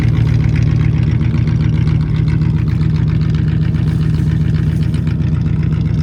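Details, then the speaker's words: 1959 Cadillac after sitting for years, down off fast idle: fires right up, then a low, even idle rumble at about four pulses a second, no misses or knocks; healthy and settled. "Now that it came down off a fast idle, it sounds so much better. But she just fires right up."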